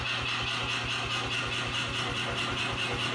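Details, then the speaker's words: New C41 55kg pneumatic power hammer after repair (locked up on day one, cleaned with WD-40, parts replaced, re-oiled) striking 2x4s; steady even blows about two to three per second with clean consistent ring; normal operation. "So, this thing is once again working correctly and it is excellent at destroying 2x4s."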